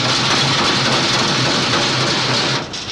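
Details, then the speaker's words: Davis mixer–hammer mill combo, discharge conveyor running empty off tractor or power unit: loud steady hiss and clatter with a low even hum, no knocks or surges; normal, quieter once ground feed is conveyed. "that that will be much quieter when there is ground feed to convey out"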